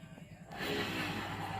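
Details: Honda Vario scooter rear wheel spun by hand with the rear pulley removed: a smooth, even rushing whirr with no growl or rumble; the rough grinding was later traced to the rear pulley bearings.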